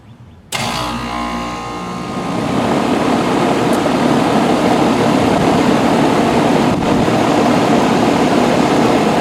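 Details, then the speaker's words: Rheem Classic 4-ton central air condenser from 2002–2003 with Copeland scroll compressor, first startup of 2022, house at 78°F; sudden start into a steady hum building over two seconds, settling evenly with no knocking or rattle; clean normal startup. "First startup of 2022 for the 4-ton Rheem. Looks good to me."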